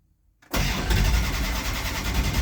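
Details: Mopar engine with a crank-no-start problem, test light on the coil negative: starter cranks steadily with an even low chug but the engine never catches; owner suspects a bad coil, not confirmed.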